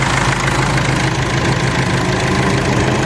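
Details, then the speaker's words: Mercedes W203 idling with the fan control wire deliberately pulled: the PWM signal between engine ECU and fan controller is lost, so the radiator fan defaults to full speed (P1636). Loud constant rushing roar over a steady idle, fan speed unchanging. "Dans cette situation, l'unité de commande du ventilateur ne reconnaît plus de signal, puis la pleine fonction donne la pleine vitesse"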